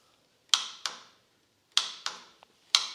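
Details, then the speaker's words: Sawmill: turning the key gives sharp paired clicks from the starter solenoid with no cranking; the solenoid is bad, clicking but not making good contact. "Here's the solenoid. You can hear it clicking, but it's just not making good contact."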